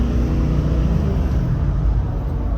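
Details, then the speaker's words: 2005 Ford F250 6.0 Powerstroke diesel with injectors fitted not long ago and a newer fuel pump, driving under road load: an even, smooth rumble with no misfire or surging. It runs good and the scan computer checks out okay, despite the rough-running, now no-start complaint. "Everything's checking out okay on our computer here."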